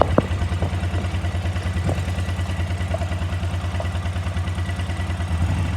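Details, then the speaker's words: KTM 950 twin-carburettor motorcycle, warmed up at idle before synchronising: steady low thumping at about three pulses a second, slightly lumpy and uneven; unequal airflow readings show the carburettors are out of balance. "since we didn't have equal airflow readings that means the carburetors are not balanced"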